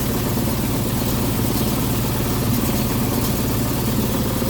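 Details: No-cooling call, indoor unit heard in attic: constant heavy rumble with uneven rough shudder; blower destroyed and vibrating excessively, causing intermittent low control voltage and contactor chatter; likely needs a new blower housing.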